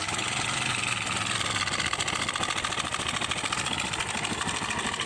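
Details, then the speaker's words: TVS Star City/Sport motorcycle engine at idle: fast, tinny metallic clatter loudest at the top of the engine, a bad rattling from inside; timing chain rattle, slack chain slapping a broken guide pad, fixed by timing chain change. "दोस्तों आप लोगों ने सुना इसके engine से कितनी बुरी sound आ रही है कितनी बुरी इसके अंदर से इंजन के अंदर से हटर पटर की आवाज आ रही है"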